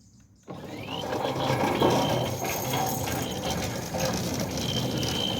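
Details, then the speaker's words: Newly installed Centurion D5 Evo Smart sliding gate motor, mounted upright and level, driving the Razz Rack via the pinion; it starts cleanly into an even drone with light gear whir and no straining or knocking; healthy run. "So the closing cycle is basically downhill. And the opening cycle is uphill, but you can hear it's not laboring at all."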